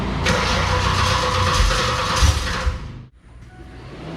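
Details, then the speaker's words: V8 first start on a newly wired Terminator X EFI system, run on the handheld's base tune with idle control not yet set: catches and runs with an uneven, lumpy beat about four pulses a second, then cuts out; owner suspects the tune. "okay well it starts doesn't sound very good though maybe it's just in the tune"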